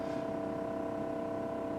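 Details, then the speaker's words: 1976 GMC Motorhome rear air ride after replacing leaking air line fittings at the dash manifold: even, steady droning hum with a fine regular pulse while the driver's side is raised to level the coach; filling normally. "driver's side's going up now all right i'm gonna pull put on hold before this step this step was really close to the ground now it's uh it's a little bit higher up"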